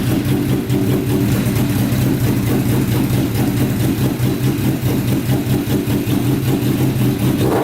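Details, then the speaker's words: Custom Yamaha Banshee with swapped 600cc engine after stage 4 jet kit, cleaned carburetors and freed sticking throttle, choke off: loud steady note, no hunting or surging at start-up, pilot jets working, revs out fully; normal idle and free revving. "all right that to me sounds a lot better doesn't rev up at start up it uh stays nice and consistent throughout so obviously the pilot jets are working um it revs out completely so you can rev it to the moon"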